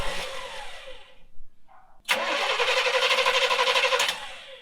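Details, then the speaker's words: 1970s Coachman Leprechaun motorhome V8, cranked with the valve at the fuel pump held open to prime it; a steady starter chug of about three beats a second that never catches. Cranks but does not start. "All right, so we do have this little valve here, so I'm just gonna keep it open while she cranks and see if it... Okay, go ahead."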